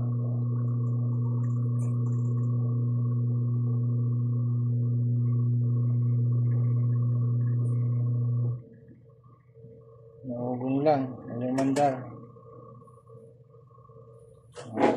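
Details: Washing machine motor that won't spin on its own, turning only when helped by hand: steady low electrical hum for eight seconds with no turning, then cut off; burnt motor winding.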